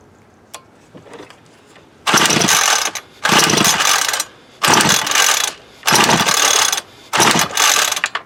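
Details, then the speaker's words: Homelite UT33650A 26cc two-stroke trimmer, high and low carb screws reset to 1-2 turns out: about five pull-starter whirs in bursts with no firing; no-start, carburettor not drawing fuel or building pressure. "well crap all still not sucking up like it should all that cranking I'm starting to wear a spot in the plastic"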